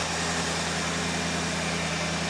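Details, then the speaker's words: 1974 Lincoln Mark IV V8 revived after 36 years parked: smooth even idle held slightly high with choke on, no misses, knocks or ticks, charging, running healthy. "Boy, she sounds good. >> Sounds great. Uh idle's on right now because choke's on. Running great."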